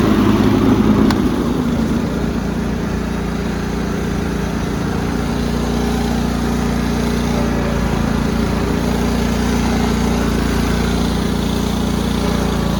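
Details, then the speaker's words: Cub Cadet rider's 16 hp horizontal-shaft Kohler with hydraulic lifters, after an oil change to Rotella T 15W-40; hydraulics to be purged again: steady, even drone at constant speed, no knocks, misses or surging. Running healthy. "i'm going to purge the hydraulics one more time just to be safe but i think the rotel t15w40 is damn fine for that seems to be running great working great"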